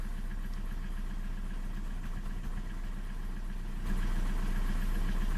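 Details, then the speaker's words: Old TDI 90/110 hp rotary injection pump diesel: uneven hunting idle, injection quantity jumping 0-1-3-2 mg; owner suspects a cracked seal ring in the pump and plans to strip it again. "widzicie jak dawka skacze 0 1 3 2 je coś się dzieje"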